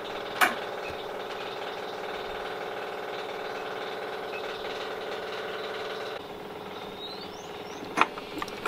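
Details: Boat inboard engine at the dock on a test run after raw water pump rebuild and thrust bearing set screws torqued; steady even idle with clean regular beat, no knocks, a couple of dock bumps; healthy.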